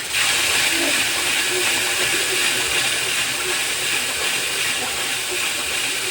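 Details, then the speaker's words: DIY guitar rim sander on an unsanded rim: steady hissing sanding rush with light irregular chatter about three times a second, because the rim is not yet matched to the disc shape. "that this one has not been sanded at all, but there's a fair amount of sand there. And you can hear it's not quite to the shape of the disc yet. You hear it kind of chatter a little."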